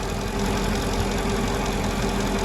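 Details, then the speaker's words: 2002 Mercedes-Benz CLK 430 AMG at idle: even idle with steady airy hiss not pulsing with engine; vacuum leak from a badly dry-rotted hose. "I think I found what was leaking from that was making the hissing sound. It's right here. It is really, really dry rotted."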